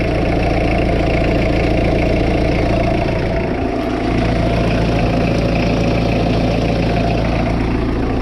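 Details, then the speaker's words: Peugeot 806 diesel after engine overhaul (timing, turbo, clutch) and an oil problem, warm idle: steady sharp clatter, louder as revs drop; owner suspects worn bearings, possibly a clattering injector. "En tout cas, ce qui est sûr que plus tu vas vers le bas, plus tu entends claquer quand même."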